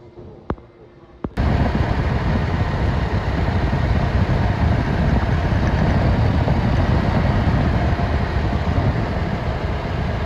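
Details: Toyota Innova engine catches after two clicks and idles with an uneven, stumbling beat: misfire problem.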